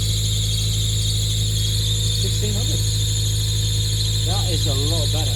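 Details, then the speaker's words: 1998 Honda Prelude at fast idle after fixing the EGR valve to cure hunting idle: a steady high-pitched squeal over a smooth idle with a low hum beneath, from the slipping fan belt; idle itself is now much better. "there's a big big squeak coming from the fan belt that we got to S out as all so ignore [Music] that"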